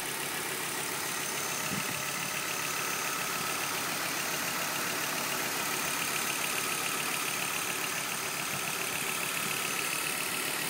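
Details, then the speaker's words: 1997 Volvo 850 GLT turbo engine just after startup, idling quietly with a soft steady hum, no knocking or ticking; normal idle. "all right run super quiet no knocking no ticking absolutely as it should be"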